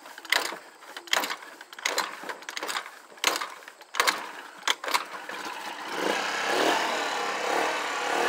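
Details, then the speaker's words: Auction moped scooter (about 1260 miles) with new six-pin CDI and coil, started after unhooking black/white ignition wire: scattered uneven pops for six seconds, then catches into steady buzzing rough run; idle needs adjusting and battery is weak. "I gotta adjust the idol and get a better battery but this one is already running guys"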